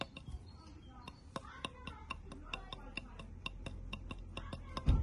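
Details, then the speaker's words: BMW R 1200 GS, a known BMW problem heard as a foreign noise in the cylinders: sharp metallic clicks about four a second as the intermediate shaft pin is rocked in its worn seat, which loosens from constant shaft load. Fix is drilling, tapping an M4 thread, and securing the pin. "Со временем оно разбивается постоянно идёт нагрузка на этот вал. Посадочное гнездо разбивает в разные стороны."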